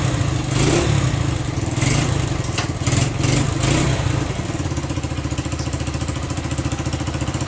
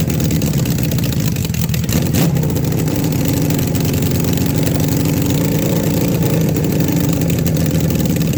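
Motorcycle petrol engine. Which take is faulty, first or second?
first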